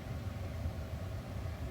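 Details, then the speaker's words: Car heater/AC blower on third and fourth speed after cleaning the fan speed selector switch contacts, resistor already replaced with no change: steady, even low air rumble with no rattle or cutting out; dirty switch contacts were the fault. "third speed and four speed so cleaning that contacts helped now i think if i if i wiggle it that still works so that was the problem"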